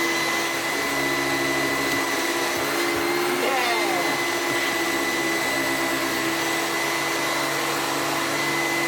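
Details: Sebo commercial upright vacuum plugged in and switched on to check it still runs: steady, even motor roar with a constant high whine, no knocking, rattling or surging. It runs normally.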